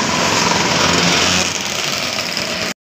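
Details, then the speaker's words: Yamaha Mio S scooter, heard from the right side after repair of a ticking, sewing-machine-like engine noise whose main cause was running out of oil: steady, even high-pitched idle with no top-end ticking; it runs normally. "Coba kita hidupkan dan dengarkan kita dengar di di sisi [Musik] kanannya jadi motor hidup dengan normal"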